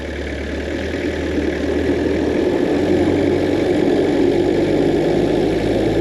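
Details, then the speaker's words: Peugeot P4 (military G-Wagon) rolling downhill in neutral, clutch in, engine off, with a steady coarse grating from underneath the floor. The cause is unconfirmed: possibly rear axle or dragging brakes, but the gut suspicion is the transfer box. "we've got quite a grating noise coming out from underneath the floor we're not quite sure where that is at the moment that could be the rear uh axle it could be dragging brakes"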